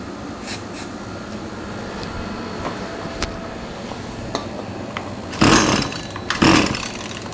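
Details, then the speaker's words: Trash-picked Husqvarna 223L two-stroke string trimmer, likely late 1990s/early 2000s, with starting fluid sprayed into the air cleaner: handling clicks, then two short sputtering bursts that catch and die; runs only on starting fluid, owner suspects carburetor issues. "so i mean it is capable of running we probably just have like everything else carburetor issues"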